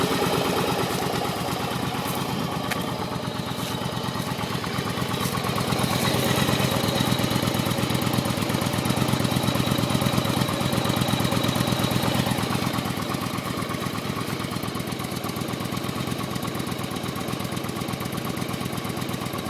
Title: Yamaha Virago 1100 start. Knocking sound.